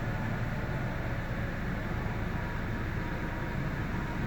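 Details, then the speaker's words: Mercedes W211 E200 idling in gear after cleaning water-damaged spark plugs and coils: soft, steady, even hum with no stumbles or shaking; earlier severe misfire and near-stalling in gear now gone. "बिल्कुल महसूस ही नहीं हो रहा, बिल्कुल मिसिंग बिल्कुल अब नहीं है। अब इंजन भी स्टेबल हो गया।"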